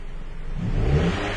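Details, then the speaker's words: 2010 Chrysler Sebring with intermittent severe low power: at low rpm the engine stumbles and hesitates on throttle but is responsive at higher rpm. Owner suspects a vacuum leak, though fuel trims showed none and fuel pressure was fine; the throttle body is also suspected. "see how their sets away and you can hear the engine hesitates pretty indicative of vacuum leak"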